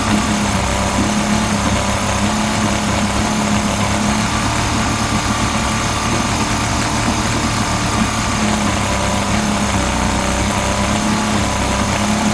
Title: Yamaha 50d misfire